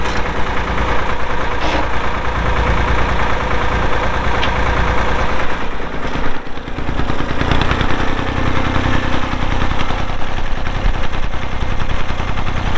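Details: 1990 Massey Ferguson 231 tractor with MF232 loader, Perkins diesel, 2,898 hours: catches and settles into a steady, even low chug with no knocks or misses; healthy normal idle.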